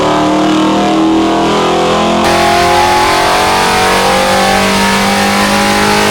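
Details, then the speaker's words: 426 Hemi rebuilt after a holed piston, on the dyno with timing at 32°, pulled to 6500 RPM: clean climbing howl with no ticking, clatter or pinging, healthy pull; no valvetrain noises noted. "so we brought the timing out to 32° we're going to take it to 6500 RPM and see how it goes"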